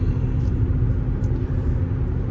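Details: After replacing roaring Cooper Endurance Plus tires with four used Michelin Premier tires, at speed: only low steady road rumble and some wind, no roar; tire roaring gone, big improvement.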